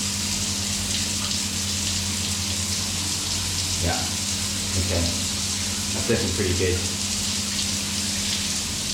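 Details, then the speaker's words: Steady water rush over low, even pump hum, no rattle or surging, from an Aqualisa Digital Shower control unit after fitting a replacement pump for failed motor windings; pump spins properly, faster and much quieter. "okay so that sounds like it's spinning properly and it's spinning much faster as well"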